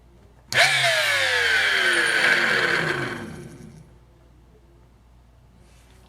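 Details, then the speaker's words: Flea-market power tool running at the trigger: loud, harsh whine with a rough rattling edge, then winding down; owner suspects nasty worn bearings, unconfirmed. "nasty bearing noises and that thing that's going to need some attention that's so loud that I think we don't want to put hearing protection on before I hold that trigger"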